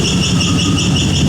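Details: Car with a swapped-in 5.3 V8 at cold idle, throttle held by hand with no IAC valve: a rhythmic high metallic squeal pulsing with engine speed. It occurs even with no belt and goes away on throttle; the owner suspects the starter or flexplate.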